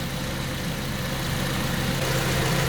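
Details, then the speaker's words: 2006 Ford KA Mk1 after installing a new radiator fan assembly to replace the faulty fan: steady engine idle with an even rushing whoosh building as the fan cuts in; smooth, no rattle, fan working normally. "Now it's come on. So the fan's just coming on"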